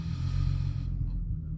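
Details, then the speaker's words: VW Golf 4 V6 24v AUE on full E85 ethanol with a newly flashed engine map. Deep, even idle rumble with no stumbling or hunting; it starts first try and runs perfectly, unlike the previous map, which stalled. "Ça tourne nickel, quoi. Ça démarre au quart, pas de broutage, rien, que dalle."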